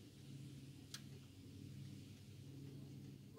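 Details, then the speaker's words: 2013 EZGO TXT 48V golf cart, after a fix that bypassed a defective charge-port interlock (it wouldn't move, no solenoid click): in forward with the pedal pressed lightly, one sharp, crisp solenoid click is heard over a faint hum, as normal. "put it in so that that right there is the click if you're not getting that click basically to explain and they just turned it off so that's why it clicked again"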